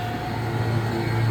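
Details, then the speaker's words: Taylor soft serve machine just primed, pump stopped, put in auto so the beater kicks on after about 15-second delay: steady low hum settling in, even, no rattles or clicks; normal running. "Put it in auto, and then you're gonna hear the beater kicked on, and it's like a 15-second delay."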